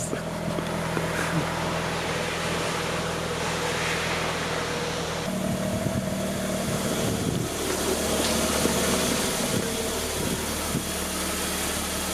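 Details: Mazda RX-8 rotary, first start after engine rebuild and reinstall; steady rotary idle with an even low drone, no misses or knocks, under some wind noise; idling normally with no check engine light.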